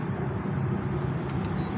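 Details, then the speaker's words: Maspion box fan after repair of a fan that would not spin: steady, even low hum with no rattle or scraping; motor spins smoothly again. "Nah, kalian bisa lihat, teman-teman, benda ini berputar lagi, kan? Sekarang, benda itu berputar."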